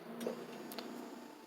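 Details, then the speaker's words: 2004 Honda, fuel pump commanded on from a Mucar 682 bidirectional scan tool actuation test: in a quiet car one soft click is heard, showing the relay and fuel pump circuit respond. "And if you hear that click, it turned the fuel pump on."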